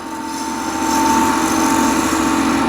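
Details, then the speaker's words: Woodturning scraper with a fresh burr from a bench grinder wheel, used flat with a light touch: a steady, quiet, smooth whistle at one pitch with no chatter or grabbing, a clean cut. "the whistling sound really nice um smooth sound there is no grabbing there is no fighting or anything it's just nice"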